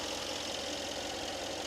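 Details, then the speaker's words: Mercedes-Benz S63 AMG V8 after repair, warm idle after test drive: smooth and quiet with no chain tensioner rattle; low oil pressure from an internal engine oil leak was fixed, raising pressure from 1.1 to 2.4, and the oil pump was replaced. "조용하죠 원래 엔진 소리를 되찾았어요"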